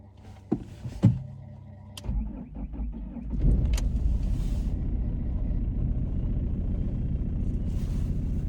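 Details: BMW E46 320d wagon diesel, started after long storage with a mouse nest in the engine bay: fuel pump primes, a few clicks, short cranking, catches at once and settles into a steady, even idle; starts fine.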